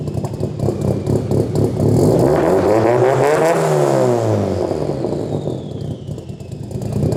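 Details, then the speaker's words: Drift car engine run after refitting a sleeved oil line during off-season repairs: lumpy, stumbling uneven beat through rev rise and fall, running on three cylinders; unplugging injectors showed cylinder 3 dead; owner will swap coil packs 2 and 3. "for some reason it's on three cylinders and unplugging the injectors I was able to work out that cylinder 3 is basically not doing anything"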